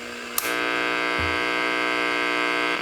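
Steady mains-rate buzz with bright edgy overtones at the output stage, the rectifier diodes' switching noise with their snubber capacitors removed.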